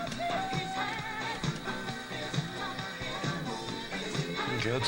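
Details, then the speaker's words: Craig 8-track player after filing the cartridge edge so its shrunken pinch roller gets closer to the capstan: music plays at an even speed with no dropouts or pitch wobble, consistent normal playback after the fix. "okay I'm going to call that fixed uh that sounds sounds good it's playing consistently"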